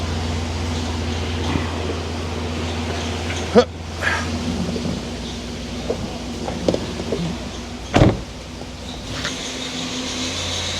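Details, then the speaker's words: Freshly rebuilt 2006 LS4 5.3 V8 in a Monte Carlo SS on its first start, held at about 2000 rpm while warming up. A steady low drone is broken by faint, irregular short chirps from a slipping drive belt. "yeah you hear that belt chirping yeah that belt is St a little bit yeah not the greatest"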